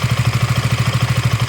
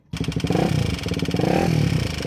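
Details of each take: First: KTM Duke single-cylinder engine at idle: even thump with a faint, light metallic tappet tick, normal and common to KTM and Bajaj engines; a loud rattle would instead suggest a loose chain tensioner or valve clearance problem. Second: KTM Duke engine: loud metallic top-end rattle over the rapid firing beat, rising with revs, unlike the normal light tappet tick; possibly a loose chain tensioner or valve clearance problem, unconfirmed.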